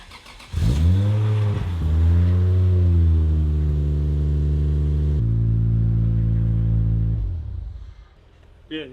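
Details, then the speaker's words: Nissan 240SX S13 with a swapped Toyota Soarer twin-turbo 1JZ inline six: the engine blips up, then settles into a deep, steady, even hum with no knocks or misses; a healthy idle. "the thing sounds so good it does just like hum"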